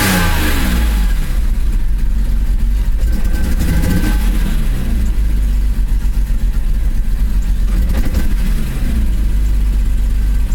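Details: BMW E34 M5 S38B36 engine: revs rise and sag unevenly with stumbling dips and a ragged beat, a misfire from a bad distributor cap and rotor.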